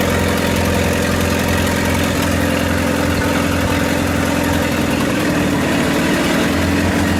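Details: 1928 Farmall Regular tractor idling after carburetor tweaks, just started with timing advanced about halfway: steady, even low chug with slight pitch shift as the idle is set; smooth, healthy normal idle.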